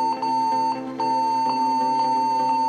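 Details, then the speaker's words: Acer laptop at power-on: steady high beep pulsing about twice a second that keeps going after the Acer logo. "तो दोस्तों हमारे पास है आज असर का एक लैपटॉप इसमें आ रही है स्टार्ट में बीप की आवाज में एक स्ट्रिप ले अब इसमें देखते हैं प्रॉबलम कहां रही है"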